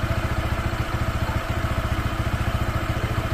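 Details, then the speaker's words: Honda PCX 160 scooter, new and not yet broken in, with a low, lumpy idle around 214 pulses a minute and a brief dip midway, close to stalling; the owner suspects a lack of air, fuel or spark. "mamamatayan parang kinapos sa hangin kinapos sa gas Paano ba kinapos sa kuryente"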